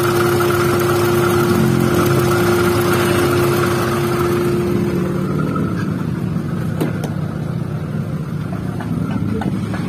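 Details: First-generation Honda Brio at idle with AC switched on: rough growl with a constant tone from the AC compressor as it spins, gone when AC is off and back when on; suspected rough compressor pulley bearing.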